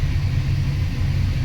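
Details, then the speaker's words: Toyota Tamaraw FX with a newly installed brake master cylinder, engine running for a brake pedal vacuum test. A steady deep rumble sits slightly above normal idle with no load; the RPM is a bit high and still needs adjusting. "Sa ngayon medyo mataas ang ating RPM. I-adjust pa natin yan."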